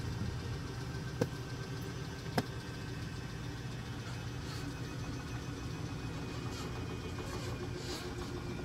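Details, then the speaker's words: 2016 Forest River Wildwood 30KQBSS travel trailer electric jack during setup: low steady motor hum with two sharp clicks about a second apart, normal clutch click at full travel signalling stop to avoid blowing a fuse. "As soon as you hear that clicking sound, that means you're there. Do not try to go any farther. You may blow a fuse, and we'll get back into replacing fuses later."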